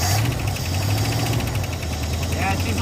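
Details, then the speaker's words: 1960 Chrysler Saratoga started for the first time in 39 years after sitting since a mid-1980s crash: light quick ticking about eight per second over a low steady idle, oil audibly moving; lifter tick. "little Ticky just a little oh the bugs are scattering yes you got takey lifter at least one kind of doesn't sound good I can hear oil moving around in there so that's good it's a runner"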